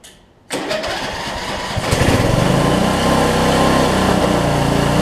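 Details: Weed Eater riding mower with a 16.5 Briggs engine, 42-inch cut and six-speed, after refitting the fuel bowl and confirming the switch works. It catches and settles into a steady, even run with no stumbling, so it is getting fuel.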